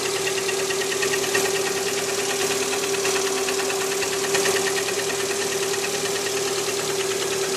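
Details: Cold Lada Priora 126-series petrol engine idling at 10 °C: a steady hum with a light, fast, even knock about three per second. Piston slap in cylinder four, silenced by removing its coil; no knock after repair.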